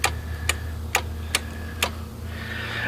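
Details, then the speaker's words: Yard Machines 20hp 42-inch lawn tractor with starter trouble, key switched to on: five sharp clicks about half a second apart over a steady low hum as the starting solenoid clicks; starter, key switch and solenoid later tested good. "I poked around on the starter and I figured out which one of these lines when you turn it to on and you can hear a click over here when I do that hear that"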